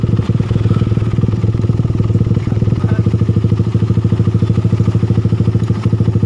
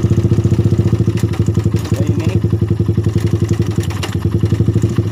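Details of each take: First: Suzuki Satria FU motorcycle engine at idle after repair: steady, even, smooth pulse with no ticking or tapping from the cylinder head; the rough clatter was a failed cam chain tensioner, replaced with a bolt-in type. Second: Suzuki Satria FU single-cylinder motorcycle at idle: rough clattery tick on each roughly four-per-second thump around the cylinder head, coming and going; a failed cam chain tensioner letting the cam chain go slack is suspected.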